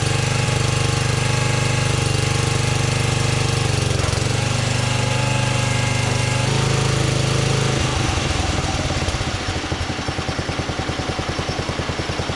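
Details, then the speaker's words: 1982 LongLife 36-inch lawn tractor, barn find unused for years, running after carburetor needle work: strong, even low drone holding steady, then easing into slower regular pulses, clean with no miss; normal running. "Wow, that runs really good. I'm pretty happy with that."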